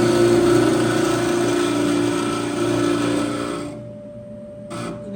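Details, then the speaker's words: Frigidaire-made Brada clothes dryer run with door switch bypassed: loud steady whirring hum with high squeal that cuts out suddenly; drive belt had come off, idler pulley spinning free and noisy; fix is a new belt, part 134503600. "کمربند خطا خورده بود، به او خاطر همونطور تنها مانده بود. کمربند باید سرش بیایه و به او خاطر سر صدا میکرد."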